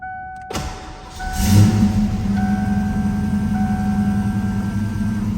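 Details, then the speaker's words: 1988 Ford Mustang LX 5.0 V8, 5-speed, 13k miles, in neutral on a dead-cold start: brief starter whirr, catches at once, flares, then settles into a smooth rumbling idle with zero exhaust smoke. Normal cold start. "and you can see temperature is dead cold so this is a cold start i mean i pulled it to move it here but dead cold here's the exhaust zero smoke out of the car has a great sound to it hear it idle down there"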